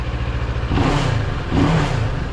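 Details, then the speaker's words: 700MT motorcycle after a fix for the common vibration noise around the TFT screen cowl. The twin revs cleanly through two blips with an even exhaust beat and no loose panel buzz or rattle; no movement or vibration heard, normal revving. "yeah I'm not hearing anything from here at all no no movement no vibration at all"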